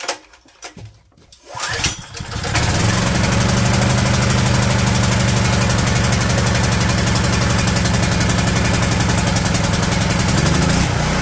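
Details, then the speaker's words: Low-hours generator after pull start: steady idle whose note shifts near the end, surging at idle, attributed to an idle-jet leak in the carburetor. "all right well we managed to go and figure out his concern point of it is surging at idle"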